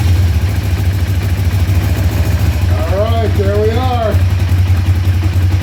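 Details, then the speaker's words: 2004 Kawasaki Vulcan 500 stored two or three years, first run after bleeding fuel through both carb float bowls: steady, even low idle, slightly raised on choke, cold at about 35-38°F; engine running normally. "are running on choke right now cuz it's cold about 35 38° here in New York"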